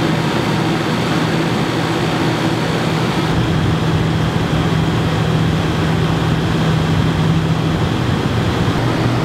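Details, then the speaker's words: Yamaha generator running a bit above idle powering an RV air conditioner with Supco SPP6 hard start capacitor: even, unbroken low drone, no hunting or surging over ten seconds; normal running under load. "here's the Yamaha it's running a bit above idle not much above light"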